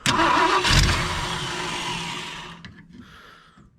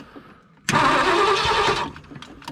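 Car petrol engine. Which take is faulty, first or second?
first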